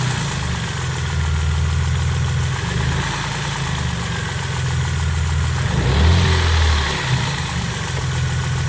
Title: Стучит двигатель стук шатуна? Работа двс